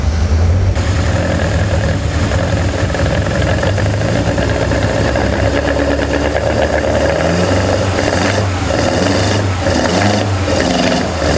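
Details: Hybrid BMW M42/M44/M47 engine with Toyota ITBs, forged Honda K20 Wiseco pistons and Supertech valve springs, first start: a steady, even low rumble with no knocks, misses or hunting; normal idle.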